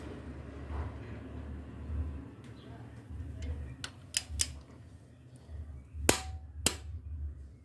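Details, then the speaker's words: Fiat Palio Fire 16V timing belt replacement, camshaft pulley bolt tightened with click-type torque wrench set to 120 N·m: low shop murmur, then a few crisp single snaps; the wrench releasing at its set torque. "a gente vai calibrar o nosso torquímetro para 120 newtons para a gente apertar o parafuso da do comando de válvula a gente vai apertar até escutar o estalo do torquímetro"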